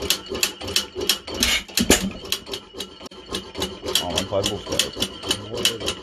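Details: 1915 Stover 6HP engine running with Fairbanks Morse magneto conversion: crisp, evenly spaced clicks about five a second over light engine clatter; normal magneto clicking, engine runs fine.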